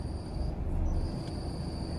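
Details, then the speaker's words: Honda City, engine idling with clutch pedal pressed: a thin, steady high-pitched "kee kee" squeal as the release bearing meets the pressure plate, gone when released; dry, ungreased bearing burning, with smoke, burnt smell and hard clutch. "Sound ഞാൻ കേൾപ്പിച്ചു തരാം, കണ്ടില്ലേ? ഒരു ചീവി കരയുന്ന sound പോലെ key key key എന്ന് പറഞ്ഞിട്ടൊരു സൗണ്ടാണ് വന്നുകൊണ്ടിരിക്കുന്നത്."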